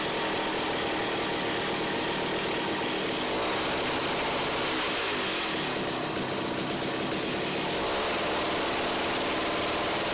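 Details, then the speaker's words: Ice auger two-stroke engine after carburetor clean, mixture screw turned a quarter turn clockwise: small buzz climbs cleanly in pitch and settles back with no bogging; revs up as it should, idle adjustment still to come. Normal revving. "she seems like she might go a little faster and she should know I'm not supposed to do that it's supposed to rev up like that that's what I like alright so it sounds like it runs pretty good there"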